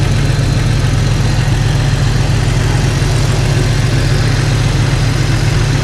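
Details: Jeep Cherokee XJ six idling after swapping in refurbished 4-hole injectors to replace cracked ones, no leaks found; smooth, even low idle with steady beat, no misses or ticks, nicer and quieter.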